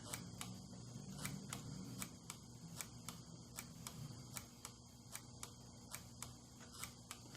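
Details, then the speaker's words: 1982 Honda Urban Express with LED turn signals, an electronic flasher and a load resistor added to the signal circuit: light, steady ticking at three to four clicks a second; the flasher is cycling normally. "Do you hear it working? Probably it'll speed up when I put the light on it again."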